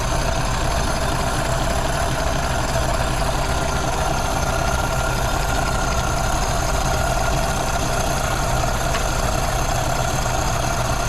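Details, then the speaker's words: Original 1932 Ford Model B after replacing the intake/exhaust manifold gasket, warmed up with bolts retorqued to about 30 ft-lb: steady, even low idle rumble with no hiss, stumble or misfire; no vacuum leaks. "all right well it sounds like it doesn't have any vacuum leaks it's running pretty good"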